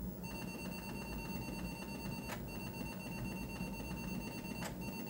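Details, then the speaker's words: Atari 1050 floppy drive on an Atari 800XL, booting a disk after cleaning: steady high motor whine with faint regular head ticks, no grinding or scraping; drive spins up and reads cleanly, sounds good. Normal running. "So cool. We know it all boots up. We know the drive sounds good."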